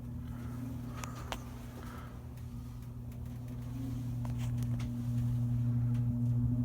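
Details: Vintage Kisco box fan, roughly 1940s–50s, Torrington blade patented 1937; motor oily, smells funky when warm, owner thought he saw it smoke once; steady low electrical hum rising as it spins up, a few light clicks, no clear fault heard.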